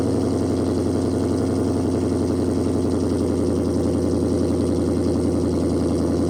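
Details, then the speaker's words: Challenger Shaker at 45,280 miles, cold start before a radiator flush: deep, even idle burble with a steady rhythm and no ticks or knocks. A healthy cold idle. "give you a nice little cold start there to do a little introdu uction haven't heard one of those in a minute"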